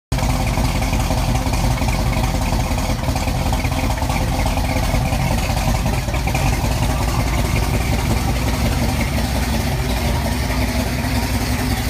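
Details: 1989 Ford Mustang LX 5.0 Fox body, 306 with GT40X heads, GT40 intake, long tube headers, Flowmaster 40s: loud, deep idle with uneven stumbling beat; misfire caused by badly wired MAF sensor.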